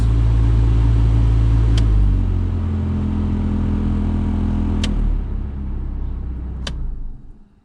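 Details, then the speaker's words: 2005 Skoda Fabia cabin heater blower fan making a heavy rumbling racket at speeds three and four, dropping in steps at lower speeds; fan not working on speed one, resistor suspected; noisy heater blower fan. "fan was making a racquet when it was sort of up at number three or four so i think we're gonna have a look at that now"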